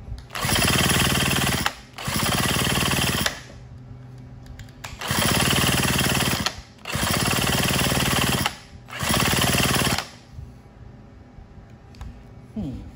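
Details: Craftsman WS210 trimmer running after a carburetor replacement, with the bulb and diaphragm parts swapped onto the new carb (the old carb had been cleaned repeatedly). Repeated short throttle bursts stay at a flat pitch and never climb; it won't rev to full throttle, cause unknown.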